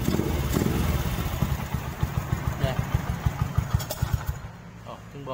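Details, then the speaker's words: Honda 67 SS50 with an aftermarket exhaust that increases loudness, at idle: small single burbles with sharp, evenly spaced pops about three a second; a loud, open exhaust note. "tiếng bô này, chờ nghe tiếng cho bạn nghe tiếng bô lại nha. Dạ. Bô có tăng tiếng nha các bạn nè."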